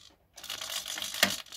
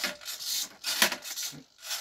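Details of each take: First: Iron Man Mk45 flap driven by a modified 60-degree digital servo on an aluminium arm sliding along a rail on a Teflon-sleeved screw, run from a servo tester; brief thin whirr ending in a small clack at its stop, opening and closing freely. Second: Ironman Mk45 flap driven by a digital servo from a servo tester, aluminium arm on a rail: short buzzing, rasping bursts with a gritty rattle each time the flap moves; typical annoying digital servo hum.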